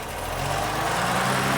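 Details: 1979 BMW E12 528i with L-Jetronic and cracked intake boot, idling: steady low idle with constant airy hiss over the top and no misses; possible vacuum leak, not confirmed; clutch fan seemingly stuck on.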